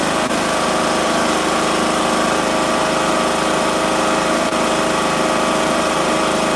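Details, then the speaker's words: Lawn mower small engine with ignition coil air gap set to maximum, well above the recommended .010: runs steadily at speed with a buzzy even note. "Maybe you thought, "Okay, maybe I gotta maybe I gotta pull this thing all the way back. It runs. It's just hard to start.""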